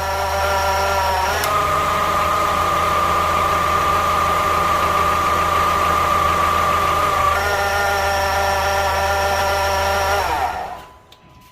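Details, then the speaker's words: Honda Civic 2.0L (2006+), listening at the AC compressor with a bar: a steady high whine over the idle drops in pitch when the AC clutch engages and rises again when it disengages. AC compressor clutch bearing whine; clutch to be replaced. "Alright, so you can see that when I turn on the AC, it will engage the clutch, and it changed the pitch of that sound. And then when I turned the clutch off, it went back to the high pitch again. So definitely the AC clutch right here that we need to replace."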